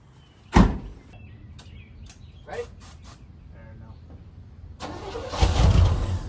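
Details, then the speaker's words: 1971 Chevelle Malibu small block, sat 20+ years, spark just restored, run with the choke eased and a little throttle: one sharp bang, scattered pops, then a short, ragged run with a little smoke. Backfiring; carb suspected. "well you saw it run uh it's pretty sweet it's uh there might be something up the carb or something"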